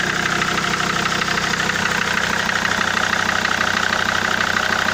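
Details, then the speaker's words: SsangYong Rexton 2.7 diesel at idle with an even, sharp knock about three per second over the clatter; knock faded when injector plugs were unplugged, but persisted after injector 3 rebuild and nozzles replaced on two others; cause still unknown. "То есть стук, как он остался, так он и есть. То есть стук никуда не делся."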